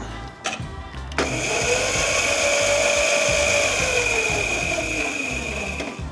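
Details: Razor Rambler 12 electric bike after new motor and two new batteries, wheel lifted: clean, steady electric whine spins up, holds evenly, then winds down as the wheel coasts; motor runs smooth and healthy.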